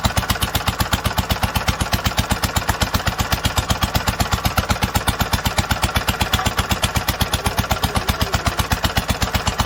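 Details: 1946 International Harvester LBB 3-5 hp water-cooled single-cylinder engine, first cold start after long storage: crisp even chuffing about four beats a second, perfectly regular, no skips or knocks, normal running.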